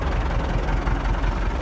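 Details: MTZ tractor diesel after repair (new clutch, about 12 L of oil, centrifuge oil pressure adjusted, pressure reading 4 when cold): a steady, even, low rumble with no knocking. Normal idle.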